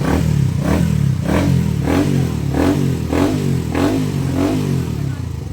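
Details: Rider Fi motorcycle after clutch housing repair for a clanking noise, engine blipped repeatedly and running clean with no rattle or knock from the clutch side: quiet clutch housing.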